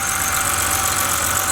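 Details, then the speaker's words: BMW N52 inline six (325i/328i/330i/525i/528i/530i family) after swapping a bad injector causing misfire and clearing codes: even steady idle, no misses or shake, smooth constant tone; runs cleanly. "okay it's sounding good yeah so i think that did it for me guys"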